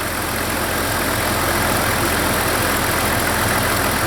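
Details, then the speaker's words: Jeep engine running just after new plugs and wires, warming up while cooling system is topped off: constant airy hiss over a steady idle, unchanged with engine beat; vacuum leak from rotted heater-control vacuum lines, related to the broken heater vacuum valve. "By the way, I've got to plug that leak. I hear it."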